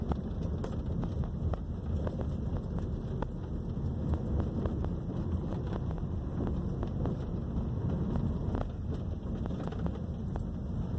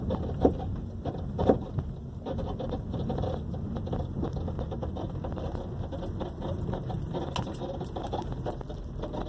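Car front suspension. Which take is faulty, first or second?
second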